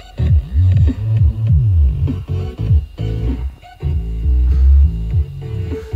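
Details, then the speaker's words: 300 W RMS subwoofer after repair of buzzing, suspected debris between voice coil and magnet cleared with compressed air: deep bass with clean punchy thumps, no rattle or buzz; plays cleanly. "yeah it definitely sounds a lot better than it used to to not making that horrible buzzing sound anymore"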